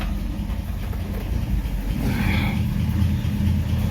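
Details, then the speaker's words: Rebuilt 1953 Chevy 3800 truck after new coil, points and cleaned plugs: low rumble with irregular lumpy beat and slight surging; too much choke, owner suspects timing off and plans to adjust it. "okay take some of the joke off i think my timing might be off"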